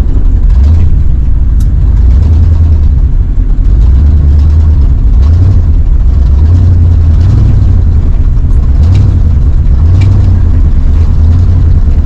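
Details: Plow truck V8 in a snowstorm, still running rough after a vacuum hose was replaced: a low, uneven idle surging and sagging about every second. Owner suspects fuel starvation and plans to test the in-tank electric fuel pump.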